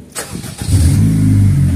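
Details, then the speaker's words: After repair of hard starting on a Honda FD VTEC 1.8 engine: fuel pressure now holds on the gauge. Key on a few seconds to prime, then a one-click start: brief crank, catches within half a second, smooth steady idle. Normal quick start. "Diba? Ganun nakabilis. One click. Ganun nakabilis siya paanda rin. Wala na redundo nangyayari."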